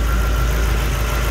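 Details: Lexus IS200 with 1UZ-FE V8 swap, modified Dash/AN6 fuel pump assembly with Walbro 450L/h E85 pump, fuel pressure just under 40 PSI: deep, steady V8 rumble, even beat, no knocks or misses; normal idle.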